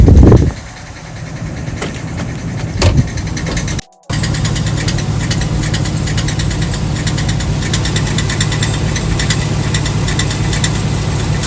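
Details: 2007 Chevy Suburban 6.0 LS V8 idling in gear with a rough, rattly knock over its low drone, from a cracked flexplate, following a rear main seal job done about a year earlier.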